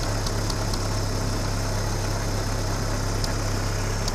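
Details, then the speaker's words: Vintage tractor started on petrol and switched to TVO: low, steady idle with an even beat, quiet, no knocks or misses; running smoothly. "there she's running on tvo see how quiet she is"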